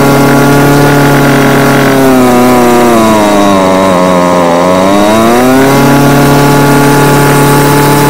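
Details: Homelite UT20042A string trimmer from a scrap lot, previously non-starting, after replacing the carburetor (C1U-H60) and tuning it: steady two-stroke buzz sags in pitch then climbs cleanly back without stumbling or misfiring; normal running.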